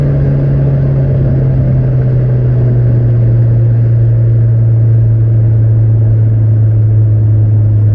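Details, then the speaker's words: Nissan 200SX S14 driving on new AliExpress injectors, formerly with jerks: deep, even drone holding steady under load, no stumble or hesitation; now revs up constantly to the cutoff, healthy. "the car is going much better now that it does go up in revs constantly"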